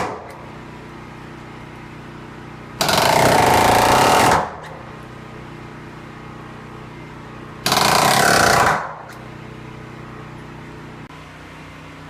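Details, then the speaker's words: Ridgid R350PNA palm nailer, oiled, at 100 psi, driving 3¼-inch galvanized spiral spikes: two bursts of rapid, even hammering, driving cleanly before it later blew a gasket. Normal operation. "So far so good. Put a little oil in it and set it at 100 psi, and seems to be doing the trick so far."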